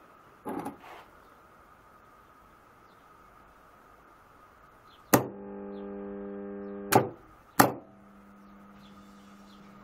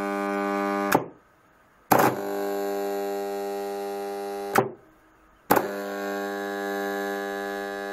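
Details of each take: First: PME-211 magnetic contactor with 110 V coil, after adjusting the magnetic core gap: clean clunk pulling in, soft low hum about two seconds, clunk on release; much quieter than before, normal operation. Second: PME-211 magnetic starter with 110 V coil, fed about 100 V: a loud, rich buzzing hum whenever energised, silent when released. Suspected poor seating of the magnetic core; the gap between middle cores should be 0.2–0.25 mm.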